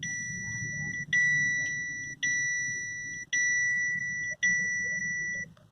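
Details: Captiva that won't start: five identical high beeps about once a second over a quiet background, a dash warning chime sounding during the no-start.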